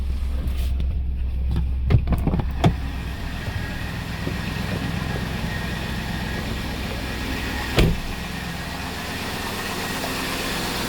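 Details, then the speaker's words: 1999 Cadillac DeVille Northstar after a subframe swap, running on its warm-up loop, heard from out back; quiet even low idle with a few handling clunks early on, engine smooth and steady, healthy. "It's quiet, too, which I like. It's on its warm-up loop, but ooh, it's pretty quiet out back here, though, which is really nice."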